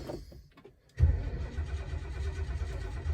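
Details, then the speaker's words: 1972 Lincoln Mark IV, 460 V8, long-sitting, on a replacement battery: steady starter churn that keeps cranking without catching; cranks but won't start, owner suspects no spark or lack of fuel at the carburetor. "might not be any spark feel like I want to put some more fuel in that carburetor"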